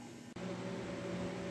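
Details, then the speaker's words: 2003 Dodge Ram 3500 dually with an upgraded fuel system, lift pump run on a relay jumper before starting: pump clicks on, then settles into a steady, even electric hum with no surging or rattle. The pump is running normally and pushing fuel. "okay you can hear it it's it's pushing fuel"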